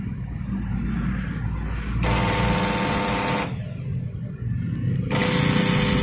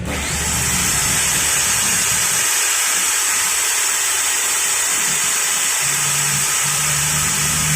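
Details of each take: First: Makita 9553B angle grinder, no power and burnt smell, brushes still full, commutator clean, no sparking: motor hums in uneven, labored bursts without reaching a clean high whine; weak rotation, suspected shorted armature or stator winding. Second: Makita 9553B angle grinder that was weak and smelled burnt, after installing carbon brushes: a high, even whine holds for twelve seconds without bogging or rattling, spinning fast again. Normal running.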